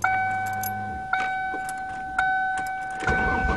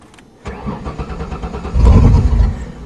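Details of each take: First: 1994 Ford Taurus wagon, first cold start after refitting fallen gas tank and reconnecting fuel pump plug: door chime, about three seconds steady cranking that never fires; no fuel, owner suspects gas was stolen, tank empty. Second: 1994 Ford Taurus wagon with a refilled, primed tank after fuel was stolen: starter churns briefly, then the engine catches and settles into a low steady idle with a quick rev; clean normal start.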